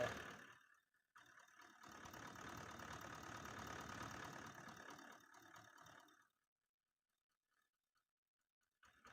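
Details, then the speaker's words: 2018 Toyota Land Cruiser pickup, 1VD 4.5L V8 diesel, poor pickup, no fault codes: uneven wobbling beat with knocking under acceleration, a misfire; injector suspected, checked by cylinder fuel-cut test. "तो engine में थोड़ा वाबेट है। एक आगे दूसरा जब इसको accelerator करेगा तो ये नॉक भी करता"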